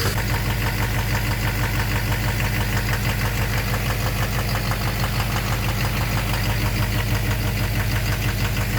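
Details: 2009 Chevrolet Duramax LMM dually at cold morning-startup idle: steady sharp knock, about ninety a minute, first mistaken for an exhaust leak; owner suspects an injector or a cracked flex-plate and tests by disabling cylinders.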